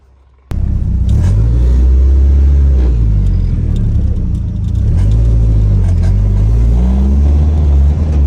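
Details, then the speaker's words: Nissan 240SX revived with a new chassis harness, running and driving after the junk Rock Auto injectors were replaced. A strong, steady low rumble with smooth revs that rise and settle, no misses or knocks; it runs surprisingly well. "240 is running and driving. Um, it actually runs and it runs surprisingly well."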